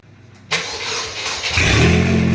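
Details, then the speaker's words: 2004 Chevy Cavalier, 2.2 L Ecotec I4 with 57mm turbo, first start on fuel left in the tank about two years, no intake or exhaust sensors, exhaust half-fitted; cold start in an enclosed shop. A brief crank catches at once into a loud but even idle with audible turbo; normal start and idle. "It sounds really good. Hear the turbo? Yeah. But yeah, starts up. Sounds cool. It's loud, but it's not too loud."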